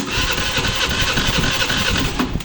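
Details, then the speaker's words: Honda Pulse 150i (150 FI) motorcycle cranks quickly and evenly with weak compression pulses but won't start; spark, fuel supply, injector and sensors OK, compression only 50 versus expected 100–150; valve problem suspected. "aas ang compres 50 lang lang sa 50 nagataas ano sa pamag niyo ang gubay k okay kuryente Okay supply sa gasolina pero kpro niya lang sa 50"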